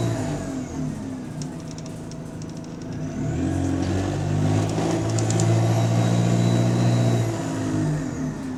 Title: Exhaust Leak | GAL SE152 On Bus Route 386 Part 2 (17)